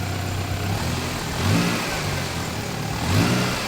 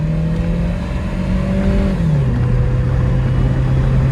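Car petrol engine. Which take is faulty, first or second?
first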